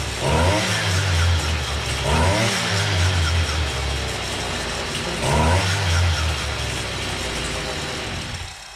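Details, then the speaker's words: Stihl two-stroke brush cutter running after fixing heavy vibration at the cutting head; revs rise and settle evenly, smooth with no rattle or shake, machine runs softer and blade runs true. "Você percebe aqui, galera, que até a máquina trabalha mais macia, porque ela não tá forçando."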